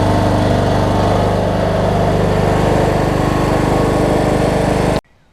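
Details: Cub Cadet riding mower with a Kohler Courage single-cylinder engine, after a HIPA carb kit replaced a carburetor that leaked gas out the exhaust. A steady, even thrum for five seconds, then a clean shutoff, with no stumbling or surging. Normal idle.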